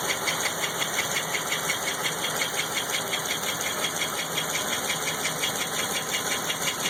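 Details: LT1 engine at idle with a couple small revs: steady sharp ticking of roughly three beats a second over the idle, a regular top-end tick; unknown noise, cause not identified.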